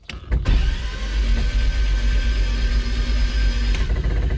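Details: 1969 Lotus Europa S2 barn find, unused 15 years in a garage: steady, even whirring crank for about four seconds with no binding or clunks before first start attempt; engine turns over freely.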